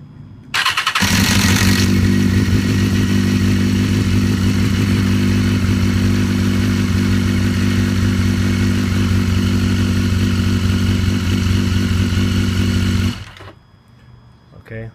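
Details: 2010 BMW S1000RR in neutral, fairing removed, cold start: brief metallic rattle about two seconds (about half a second on warm restart), then smooth idle; owner suspects bad cam chain tensioner needing replacement, not confirmed.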